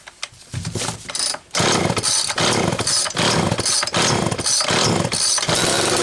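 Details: Homelite XL Automatic chainsaw after repair (fuel issue had forced full-choke running; new bar stud), cold morning, engine half warm; started in about six pulls; sharp raspy bursts revving up and dropping back about once a second, responsive; high speed close enough; normal running.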